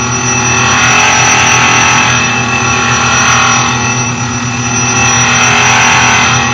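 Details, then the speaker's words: Highland Park Shaping Machine Model SM1 (1 HP motor), height adjusted down, slow rotation: high gritty grinding swelling and fading about every three seconds, wheel hitting at points and not at others; workpiece out of round. "Now I'm going to adjust the height down a little bit. I hear points where it's hitting and points where it's not. So I want to get the piece to so it's completely round and doesn't have flat spots."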